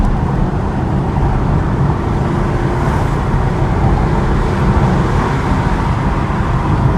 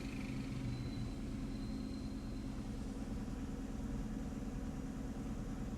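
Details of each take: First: 2015 Chevy Camaro after the cylinder 6 injector fault (P0206/P0300) was repaired: heard from inside the car pulling hard uphill, a steady deep roar with no stumble or miss, reaching nearly 100 km/h in about 5 seconds. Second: 2015 Chevy Camaro with codes P0206 and P0300, during a cylinder power balance test: with cylinder 1 disabled on top of the already-dead cylinder 6, the idle becomes low, uneven and stumbling at about two pulses a second.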